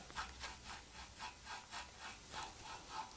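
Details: Peugeot 206 RC hub turned by hand with disc removed: soft, rhythmic rasping about four sweeps a second from slightly rough wheel bearings, though the hub looks in very good condition; pre-inspection work.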